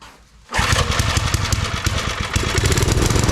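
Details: Old Briggs & Stratton 5 hp wood splitter engine after reassembly, spark confirmed, plug carboned; catches at once then runs with an uneven, hunting beat. Not getting fuel; carburetor needs parts, carb kit planned.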